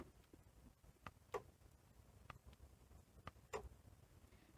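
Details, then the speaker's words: Toshiba V88 VHS VCR from around 1987, after belt kit repair: faint sparse clicks and a small thump at power-on as the loading system motor gives a brief kick; cause not established. "Interesting that when you turn it on, there is a little bit of a kick from the loading system motor."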